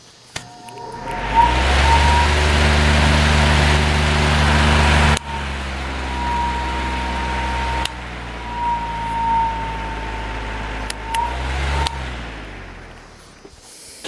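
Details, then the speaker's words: Fan with a 0.9 A PSC motor on line power, before testing on a modified sine wave inverter: steady low hum with faint even tone and no rattle or scrape; motor runs quiet and smooth. "nice and quiet and smooth all right now we're plugged into the inverter"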